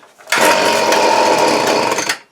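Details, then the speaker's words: Hitachi two-stroke leaf blower, hard to start, before carb kit: screams to high speed under two seconds with choke off, then drops and dies; owner suspects fuel starvation, Walbro WYC carburetor with no adjustments needing rebuild, unconfirmed. "So start it up, just run for a second and die down. I'm thinking for sure it's not getting enough fuel."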